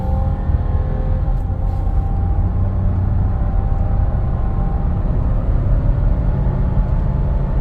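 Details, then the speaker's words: 2005 Lexus LX470 (100 series), 196k miles, timing belt service current, OME rear springs and Bilstein 5100 fronts, driving and turning: smooth even low road-and-engine rumble under acceleration, no whine, hum or growl; no drivetrain or wheel bearing noise. "I'm just going to spin it around let you guys hear it uh we don't have any uh drivetrain noise or wheel bearing noise or anything like that"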